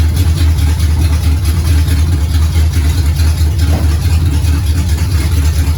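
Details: 1969 Pontiac GTO barn find with a 400ci V8 and a TH400 that needs rebuilding, run on a makeshift dash setup: loud, deep, lopey V8 rumble, steady with no knocks or ticks. The engine sounds healthy.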